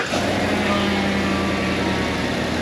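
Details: Cadillac Escalade ESV 6.2 V8, 2WD, after engine mount replacement for engine shaking, rechecked in drive with brake held and throttle blips: smooth steady V8 drone under load, no thumps or rattles; normal engine running.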